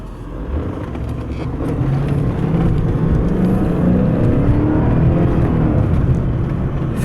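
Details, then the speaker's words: 1995 Mercedes S500 W140 V8 on a test drive in cold weather: the engine note climbs under throttle, then drops cleanly to a lower steady pull with no flare or clunk; a smooth automatic upshift. "that nice shift I hope you did I know you didn't feel it but you could kind of hear it"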